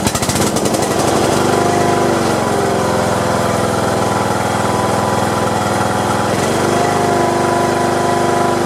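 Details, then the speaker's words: Craftsman LT1500 riding mower, sat in a barn for years, after a new drive belt, mowing deck not yet attached: brief crank, catches within a second, settles into steady even idle, no knocks or misses. "I'm gonna crank it up first and make sure the transmissions okay before I hook up the the mowing deck"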